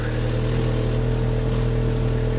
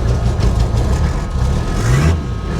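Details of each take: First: 1980s Toyota Supra, abandoned for years, 110,648 miles, just jump-started: smooth steady drone with an even low hum and no knocks or misses; running normally. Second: Abandoned 1980s Toyota Supra at auction, first start after sitting: idle surges up and down about every second and a half, never settling; runs poorly at idle, fine with a little gas.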